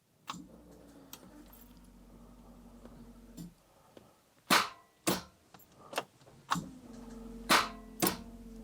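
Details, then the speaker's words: Daimler Double Six (Jaguar XJ12) V12, arrived on a tow truck with no start and previously not charging, in park: key turned gives only a few sharp relay clicks, no cranking; starter or its grounding/electrical connections suspected, unconfirmed. "you see that's it. Just a little click. It's actually odd. It really sounds like the starter is trying."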